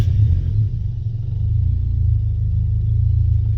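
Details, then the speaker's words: Turbo Miata on its old ECU after a failed ECU swap, boost line refitted: deep low rumble that sags then creeps back up, never settling, RPM gauge moving by itself; idle set too low, unstable from a bad ECU idle tune. "okay they [ __ ] around with my idle tune but um I don't know if you saw there the RPM gauge just moved by itself you can see that the 's too low"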